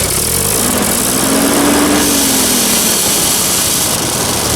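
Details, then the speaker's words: Old engine first run after revival, in high range, throttle opened; pitch wanders, ragged and uneven, sounds awful; owner suspects spark plugs, governor or an intake/exhaust manifold air leak; rough running under throttle. "try opening it up a little bit oh god that sounds awful in there whoa honey doesn't seem to make much difference"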